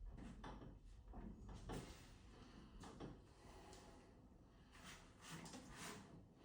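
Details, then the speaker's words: Entrance door that could not be lifted off its hinges, after holes were drilled into the hinges, the hinges realigned and lubricated through the holes: soft thuds and clicks as it swings, no squeal or creak. "Для того, щоб прибрати скрип петель, висверлили в петлі декілька дирок. Прирівняли петлі і змастили їх через дирки."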